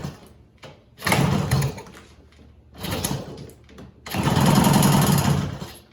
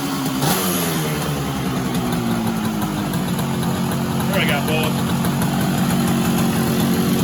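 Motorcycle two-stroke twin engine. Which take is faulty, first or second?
first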